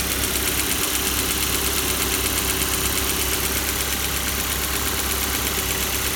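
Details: Kia Soul 2 1.6 engine at cold idle: a regular light knock, close to three a second, over a hissy engine note; cold knock, cause not known.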